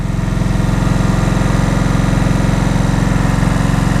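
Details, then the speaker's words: 2003 Kawasaki Vulcan VN1600 Classic, fuel-injected, just started after sitting outside a while: fast, even idle pulsing about four times a second with a loose mechanical rattle over the top; very rattly but not terrible, cause unknown. "it's very rattly not terrible but I've never ridden the 1600 here"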